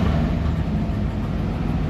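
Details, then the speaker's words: Chevy Suburban 454 V8 after dropping tank and fixing no-fuel-pressure issue that made it die: deep steady rumble holding even under throttle without stumbling or dying; normal running. "that was the issue we were having where it wouldn't stay on I think it's going to stay on"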